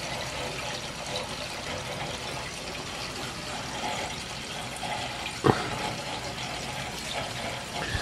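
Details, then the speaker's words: Oil-fired hydronic heating system with circulators; one zone had no heat. Water rushes, sputters and gurgles at the purge valve as trapped air is purged from the zone and heat returns. "all right we're starting to come back nice and toasty now lot of ear in there go purging it out"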